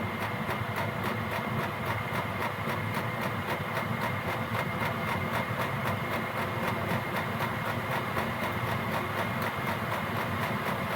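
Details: Gearlasso 8kW 12V/24V Chinese diesel heater in manual gear/program mode, running about 18 minutes, turned up to program 10 (highest output): steady burner and fan roar, fuel pump ticking quickly and evenly around four per second as it speeds up; normal full-output run.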